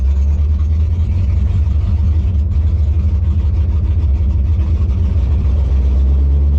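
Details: 1957 Chevy delivery with Hilborn mechanical injection, warmed up after valve lash set by feeler gauge: loud, deep idle with uneven loping pulses, stumbling and hunting; owner suspects lean misfire, maybe too little fuel needing a pill change.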